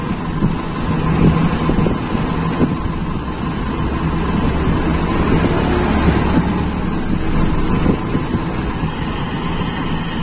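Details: Toyota Kijang Super carbureted engine: lumpy, uneven idle that settles and smooths when the intake is partly covered by hand; idle mixture too lean.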